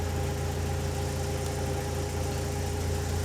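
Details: 2004-2006 BMW 116i E87, N45B16 1.6L race car, remapped ECU, special exhaust, warm, oxygen sensor probably in closed-loop feedback: low, even idle hum, steady beat, no knocks or misses; normal warm idle.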